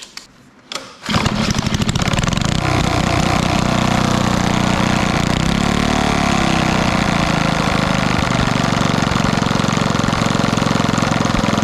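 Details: 1964 Wards Power Kraft 110 V 1250 W generator with a Briggs & Stratton engine (about 3 hp), after adjusting the carburetor idle screw: the small single catches after a couple of pulls and runs steady and even. Normal running.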